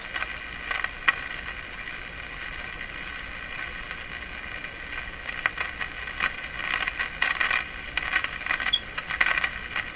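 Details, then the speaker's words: Canadian Westinghouse Model 684 tube radio after cleaning up temporary IF bypass circuit, on 9 MHz band at full volume: steady crackly hiss with scratchy bursts, no stations received, not converting; alignment doubted as cause, fault unknown. "It's picking up dirt. It's a dirt radio. Full volume. Again, doesn't seem to be converting anything."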